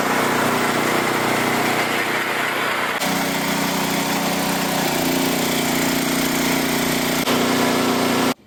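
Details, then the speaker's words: Auction generator engine, previously seized with water-filled tank, first start on choke with new inline fuel filter, not under load: catches and settles to a steady, even idle, no smoke, misses or knocks. "Okay, that runs surprisingly awesome. It doesn't even smoke or anything."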